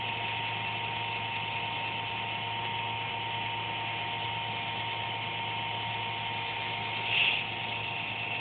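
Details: Computer making a random buzz once or twice a day, performance unaffected: a steady droning buzz with fixed high tones and a brief louder chirp; the owner thinks it's the fan but is unsure.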